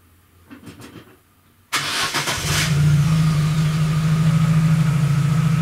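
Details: Chevrolet Aveo at idle, mic about 50 cm from muffler, after catalytic converter replaced by a spacer pipe: engine fires and settles into a deep, steady drone, louder and boomier than stock.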